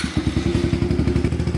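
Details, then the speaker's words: Kawasaki KLX110 (the "21") after service, air filter cleaned and chain cleaned and lubed, oil change still due; starts right up, quick even single-cylinder thump settling into a steady idle with no knocks or misses; normal idle. "All right, I got the 21 all done. Starts right up."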